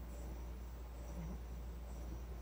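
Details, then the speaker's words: AC drive motor on Solectria UMOC440 controller after bad fuse repair, encoder parameters not correct for this motor: quiet steady low hum, even tone, no knocks, clicks or grinding; spins better, normal motor run. "these parameters are not actually the right for this motor so but it spins a lot better so"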